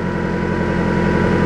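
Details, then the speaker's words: Car with a blown head gasket after a liquid head gasket sealer treatment and a 15-minute run: an uneven, lumpy, wavering idle, with a combustion gas test still positive, so the sealer did not fix the leak. "Right off the bat, I'm not too impressed with the way the engine sounds right now, but let's go ahead."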